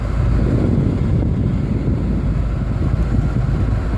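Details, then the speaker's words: Trailblazer cabin blower on top speed 5, loud steady rushing air with an even low fan drone, no ticking or squeal. Speed 4 dies and speeds 1–3 and 5 work; the blower resistor sits in front of the glovebox. Normal high-speed blower operation. "I hate leaving the single in five because it's blowing really loud that makes it kind of hard to hear inside the vehicle"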